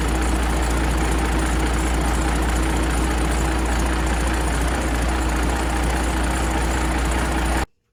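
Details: 12-valve Cummins diesel after exhaust manifold replacement and retightening a loose V-band clamp: deep, even idle clatter with no puffing or ticking from the manifold until shutdown; exhaust leak appears gone.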